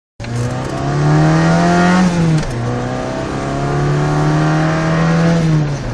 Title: Nasty exhaust leak